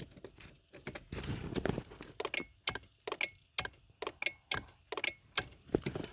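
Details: 2013 Acura MDX with key turned, starter relay under the dash by the pedal bracket: sharp, dry clicks about twice a second, no cranking; relay switching but starter not turning.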